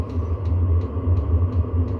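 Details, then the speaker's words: Diesel heater after a teardown and soot cleaning: a deep, steady burner roar with a light pump tick two or three times a second. It is now flaming and putting out heat, with a little smoke on start-up. "Well, it does sound like it's flaming. A little bit of, so I can feel a bit of heat. So it's definitely flaming."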